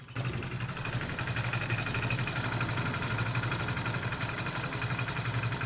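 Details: Hero Splendor motorcycle engine started after adjusting inlet and exhaust tappet clearance and replacing the exhaust tappet bolt; settles into an even idle around three beats a second, earlier tick-tick tappet noise from the head now gone.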